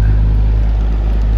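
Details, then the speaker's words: 17-inch Frigidaire outdoor pedestal fan on low with oscillator running: steady low droning hum with a faint rough whirr underneath, source unclear, owner suspects noise in the gearbox; abnormal running noise. "oscillator works really well makes a bit of a noise unfortunately and there's low I don't know what's making all this noise"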